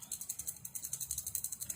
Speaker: มีเสียงดังแบบนี้นะครับเราๆแบบนี้แสดงว่ารีเลย์ตัวนี้ทางแล้วนะครับ